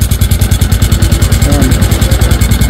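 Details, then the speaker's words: Sniper 150 V2 after an aftermarket TRC pipe was fitted: steady idle with a fast metallic clatter, about ten per second, riding each exhaust pulse; a sensor on the pipe left loose, not engine trouble. "So dahil pipe lang yung pinalta niya, nag-iba na yung tunog. Ayan mga boss oh. Yun, bang sensor, luwag."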